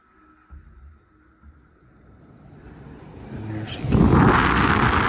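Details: Carrier system with X-13 ECM blower motor replaced after the motor would not stop running: faint clicks, then steady rushing airflow ramps up and holds evenly. Normal blower operation after replacement.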